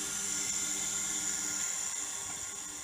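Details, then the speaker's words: WDH-101P dehumidifier, about 15 years old, fan motor after cleaning, before greasing: a steady, even high-pitched whir with no scraping or ticking, the fan rotating very easily now, normal running. "If I turn it on, you can see the fan motor working now. See, it rotates very easily now."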